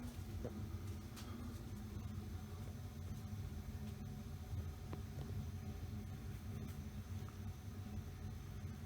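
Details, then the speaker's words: Early-1980s Mistral Mistralaire ceiling fan made by TAT, set to medium on the variable speed control built into the light kit finial. Low, steady electrical hum with faint clicks, characteristic of its variable speed control. "let's turn it up to a medium-ish speed what that does it does have a characteristic variable speed"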